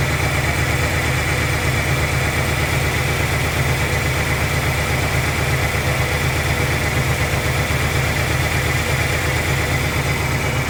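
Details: 1997 Ford Ranger 4-cylinder, unused since 2011, with fuel pump replaced in 2023 and a new battery, old gasoline and spark plugs not yet replaced: steady low drone at idle with a ragged, irregular chuff, a rough idle.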